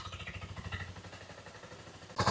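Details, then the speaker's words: 1984 Yamaha Riva 180 scooter after carb cleaning and reassembly, idling: single-cylinder ticks over with an uneven, lumpy beat and wavering level; rough idle, cause unknown; petcock fuel leak found earlier. "It sounds a little bit rough, but I'm just going to let it idle for a"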